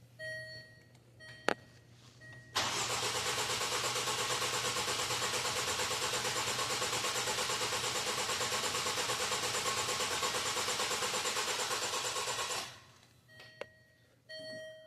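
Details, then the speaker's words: 2016 Range Rover Discovery 2-litre, first cranking after reassembly for timing codes, coils unplugged and adaptations reset: steady even cranking about three turns a second for ten seconds, no knocks or clatter, turning freely without firing; sounded good. "Again, first time cranking after putting it all back together. Okay, so that sounded good."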